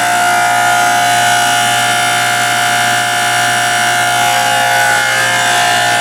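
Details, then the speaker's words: Log-splitter-converted forging press (25-ton County Line) hydraulic pump run via phase converter: loud steady high-pitched whine with several fixed tones; noisy pump at full speed, owner unsure whether it will quiet or worsen. "let me go ahead and run this kick on the phase converter and you might want to turn down your sound [Music] because like I said this sucker is noisy"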